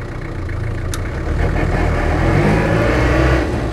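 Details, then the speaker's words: Land Rover Series III diesel hardtop, fully gone through by a specialist: steady low diesel clatter at idle rising smoothly as it pulls away, no knocks or misses; lovely engine, though the gearbox whines a bit in lower gears. "So yes, lovely engine on it."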